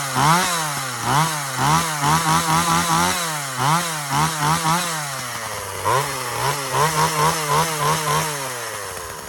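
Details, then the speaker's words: Husqvarna 136 chainsaw after carburetor cleaning and adjustment: crisp two-stroke rises and falls cleanly through each cut, picks up throttle without bogging or sputtering; normal running under load. "Um we got Rhyne Ray Digger's chainsaw up and running."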